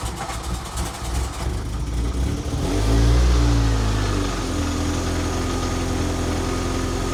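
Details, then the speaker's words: MK2 Golf GTI with intermittent idle valve (ISV) buzzing, after wiring checks showed 12 V at the ISV: catches after a short crank and settles into a steady, even idle without hunting or lumpiness; normal idle. "That seems to be idling nice and smooth. Let me check whether the idle valve was vibrating, but that seems all right. Doesn't seem lumpy."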